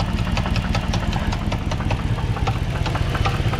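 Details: 2005 Dodge Magnum R/T 5.7 V8 at idle: quick sharp ticks, about two or three a second, over a rough idle with a deeper knock mixed in; owner doubts a rod as too inconsistent, suspects lifter or bottom-end trouble, plans pulling heads. Unconfirmed.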